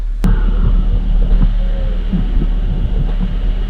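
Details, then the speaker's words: Volvo with M56 manual gearbox, just cold started, idling low: steady hum with light irregular rattling from a noisy clutch release bearing; gears select fine. "But we've got a noisy clutch bearing in this, if you listen."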